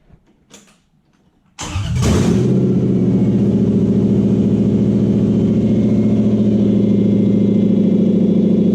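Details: Toyota 1UZ-FE V8 swapped into a 2003 Hilux, restart during cab wiring work: short crank, then the V8 fires and settles into a steady, fairly even idle with a low rhythmic pulse and no knocking.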